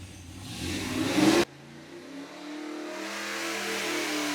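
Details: Naturally aspirated LS3 stroked to 416 with GPI MAX 2.0 heads and cam, on carburetor, engine dyno, break-in oil: loud hard rising roar to about 7,000 rpm peak, near 740 hp, cutting off sharply then smooth coast-down; healthy.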